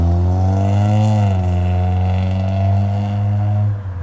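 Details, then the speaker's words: Honda Civic with a newly installed cheap exhaust: deep droning exhaust swells with a quick rev blip, then settles. Loud and coarse but steady. "The car sounds like shit. He likes it. It's his first car."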